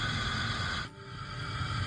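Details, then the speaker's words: New FEASTO Roamer portable propane grill on a 1 lb bottle, regulator on-off valve opened: steady gas hiss, spark, brief dip as it lights, then even rushing flame; burner fires right up and runs normally. "Now, should be able to hear some gas. Listen to that. Spark. Fires right"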